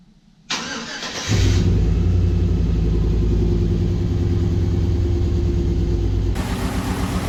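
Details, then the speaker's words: Aluminum-block 5.3 L LS V8 swapped into a 1936 GMC truck, first start after the swap, truck not run in about 60 years, on jack stands; cranks briefly then catches and settles to a steady even idle, no knocks; normal start. "Well, she started right up. I don't see anything too catastrophic yet."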